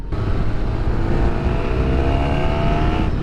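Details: Yamaha YZF1000R Thunderace motorcycle after a year-long rebuild, just passed MOT, out on the open road: strong rising engine note under acceleration, smooth and even with no knocks or rattles, pulling cleanly; normal running.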